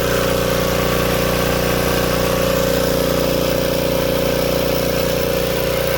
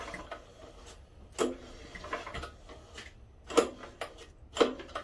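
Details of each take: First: Old Tecumseh-powered generator revived after years outdoors in rain and snow: even, unwavering drone holding speed for ten seconds, then a smooth wind-down at shutdown; running healthy. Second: Tecumseh-powered generator left outdoors for years; after carb cleaning, float set and spark and fuel confirmed, on full choke with fuel on, several pull-cord cranks about one a second without catching; cranks but won't start, owner suspects lost compression.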